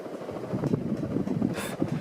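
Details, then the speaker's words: Catalina Lighting Square hugger ceiling fan, April 1987, on high: steady hum with soft, uneven knocks coming and going; owner thinks the mounting bracket is shifting against the outer housing, only happens sometimes. "that's from I think like the mounting bracket moving back and forth or something with the outer housing I don't know but it only does it sometimes"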